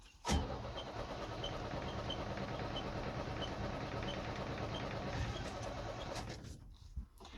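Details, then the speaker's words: 1978 International Scout II, Nissan SD33 diesel, cold start after 12 seconds of glow: slow labored cranking about six seconds without clean catch. Hard cold start; owner suspects inoperative glow plugs and poorly spraying injector nozzles. "let's go ahead and glow see if she starts up this thing is very cold-blooded 12 seconds of glow"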